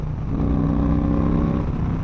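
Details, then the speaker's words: 2008 Yamaha Raider after clutch line bleeding to fix slipping: hard acceleration from 70 mph, weak in fifth, much stronger in fourth; engine note climbs smoothly with road speed, no rev flare, clutch gripping. "hammering it in fifth it really doesn't have the torque i'm looking for so let's go down the fourth see what happens oh it's so much better"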